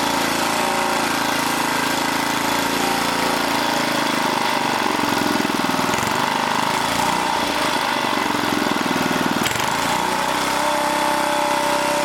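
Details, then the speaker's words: Old 1980 rototiller small engine: buzzing steadily while its speed creeps and drifts up on its own; tightening the throttle cable didn't help, so the worn throttle control needs replacing. "oh i don't want 3600 we want now we got it but this thing is creeping so i need to put a new throttle control on here"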